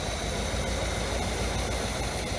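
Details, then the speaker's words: Chevy Camaro 305 V8 with 5-speed, run off the tank with a leaking carburetor and bad fuel, smoking: low steady burble holding an even idle with no misses or knocks against a faint hiss; runs well. "dang sounds good it runs good look it just idle that's"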